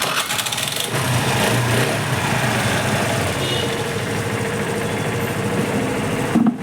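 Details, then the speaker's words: TVS Scooty Pep that wouldn't start (kick seized, piston tight from no oil circulation), after oil pump gear replaced and oil added: steady even idle with no knocks or rattles; circulation now good, repaired. "So ఇది భయ్యా బండి అంటే బండి ఇప్పుడు circulation అనేది మంచిగా అయిపోతుంది ఇబ్బంది ఏం లేదు ఇప్పుడు ఈ బండి అయిపోయినట్టే లెక్క"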